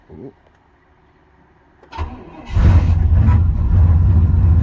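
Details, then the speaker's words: 93 GMC cold start at about -12°: a short crank, then it catches cleanly and settles into a strong, even idle. A healthy cold start. "There we go. She's a runner."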